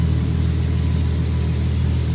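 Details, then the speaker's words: Nissan Z with new titanium exhaust, resonator/muffler piece not fitted, revving: deep steady drone with strong low rumble, no knocks or rattles; healthy, normal revving. "Not bad. I like it. And that's without the muffler piece in there, the resonator car."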